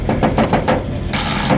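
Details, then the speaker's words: AMC AMX on the 2021 Hot Rod Power Tour, battery tested fine: rapid ratcheting clicks, about seven a second, with no cranking or firing; no-start with the starter not engaging, suspected to be a short, unconfirmed. "you may if you paid attention to my mx build recognize that sound that's the sound of it not starting so uh battery tests out fine again and we think we're okay but it won't start"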